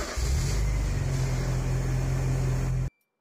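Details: 1984 Porsche 944 after fixing rich idle: vacuum lines, cleaned injectors, new Beck/Arnley fuel regulator, Radium aftermarket fuel damper; low even engine burble holds steady idle without hunting or surging, then cuts off cleanly.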